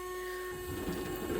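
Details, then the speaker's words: Samsung dishwasher DW80M2020US after water inlet valve replacement, during fill: steady high-pitched whine over the sound of water filling; food stuck in the air vent resonating, stopped by tapping the vent. "so that high-pitched that sound that's just a piece of food that's stuck in that air vent"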